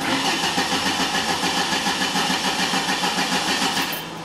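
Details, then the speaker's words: 2003 Ford Escort ZX2 2.0 no-start with no spark. The starter cranks the engine at an even pace but it never fires; the tach shows no crank signal, pointing to a failed VRS crank sensor. "on Fords if the computer is receiving a crank signal it will turn that light off during cranking so the check engine light will actually turn off during cranking when the computer receives a crank signal"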